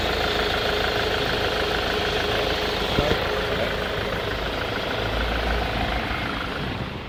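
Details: Jaguar 2.0 diesel on a cold morning idling unevenly with a lumpy beat and slight knocking under the clatter, white smoke, barely any throttle response; glow plugs test OK, MAF and cam sensor replaced, fine once warm; cause unknown.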